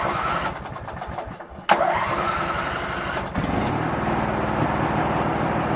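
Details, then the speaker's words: Craftsman 19.5 mower, chewed wires repaired, seems to run rich: uneven cranking chug and a stumble, then catches into a steady fast run, starting only once the key is released; owner suspects the ignition switch. "start when you let off of the crank otherwise you'd sit there and crank it and crank it and crank it and it won't start second you let off it'll start so it may be something in the ignition switch itself"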